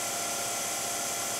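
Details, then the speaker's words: Low-pressure diaphragm misting pump motor ramping from 100 to 120 volts, its normal plugged-into-the-wall speed: steady, high-pitched, even whir with no knocks or rattles, pretty quiet; normal motor run. "so it's it's ramping up and now i'll go to 120. and that's it's normal um if you were just to plug it into the wall that's what it would sound like again pretty quiet"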